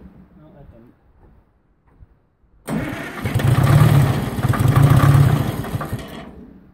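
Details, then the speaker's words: Detroit Diesel 4-53 just after a leaking injector was replaced, intake off: quick cranking catches into a rough, lumpy run that surges twice and dies after about three seconds; air in the fuel is suspected, needing bleeding. "so maybe uh the thing didn't stay running i don't know we'll see i might have to bleed the fuel a little bit to get that staying running"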